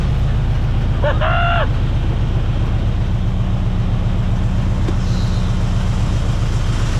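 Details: 1975 Chevy C10 with 454 big-block V8, carbureted, just after a new fuel pump restored fuel delivery: deep, even burble at a steady idle, no misses, knocks or stumbles; normal idle.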